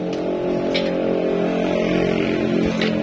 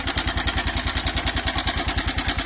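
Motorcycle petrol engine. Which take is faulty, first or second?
second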